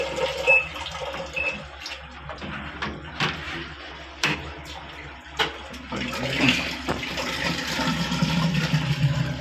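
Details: Midea 6.5 kg washing machine MWMTLO65ZOY: water keeps rushing in and overflowing, wash motor never starts; level-sensing pressure hose bent so filling never stops.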